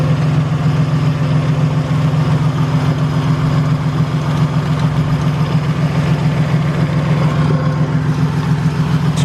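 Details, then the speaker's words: Toyota Tacoma at idle: a constant low drone with a faint rough whir and a shaky belt, from a worn idler pulley bearing. It had been heard as a ticking or slight knock, was pinpointed with a water-bottle stethoscope, and was fixed by replacing the pulley. "getting a wearing noise from this pulley right here and as you can see the belt is like kind of shaky we're getting like a bearing noise from this thing"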